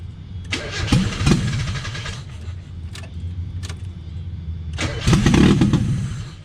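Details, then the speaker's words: 1995 Mazda Miata no-start troubleshooting, running without intake and vacuum lines, little oil: uneven bursts of firing catch briefly, stumble and die between attempts; owner suspects missing intake and vacuum lines. "she wants to run but there's something not right either it's because i'm missing my whole intake in vacuum lines"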